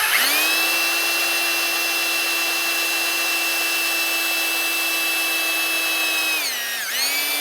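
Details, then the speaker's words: 1974 Dodge D100 360 V8, revived after sitting years, oil pump primed with a drill before intake install while rotating engine: steady high drill whine, then pitch sags as the pump loads, fills filter and builds pressure; oil reaches lifters. Normal priming. "And we're going to spin it up until we hear a load. We've got to fill up the filter and then we got to get pressure going up."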